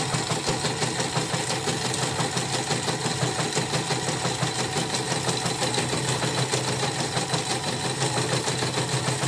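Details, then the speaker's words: Portable CNY embroidery machine after repair: rough rattling knock about three times a second following the stitching; two hook parts seem slightly loose, possibly from earlier being forced to turn while jammed; stitching and rotary rotation otherwise normal. "rapi ya, tapi emang ada dua krok mungkin ada yang agak kocrak kemarin bekas macet dipaksa muter atau gimana ya gitu lah."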